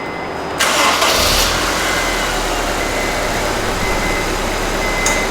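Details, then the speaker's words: Honda S2000 after replacing blown under-hood fuse 58 (20 A), engine idling with AC on: steady idle then brief sharp click as the AC compressor clutch engages; working normally after fuse fix. "you hear that click yeah i did that's the ac compressor kicking off"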